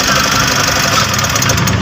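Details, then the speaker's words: Mitsubishi L300 Euro 4 diesel at idle: constant gritty whirring hiss over the clatter from the alternator; worn alternator bearing, usually the upper one. "ah maingay yung alternator niya dito guys sa alternator na"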